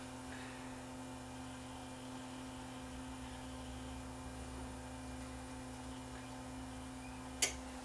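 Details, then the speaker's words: Panasonic DMR-EH50 DVD recorder after replacement parts fitted: steady low electrical hum with a faint even buzz and one sharp click near the end as the hard drive spins up; normal spin-up. "okay hard drives spinning up I think it's gonna work you hear it buzzing away please wait"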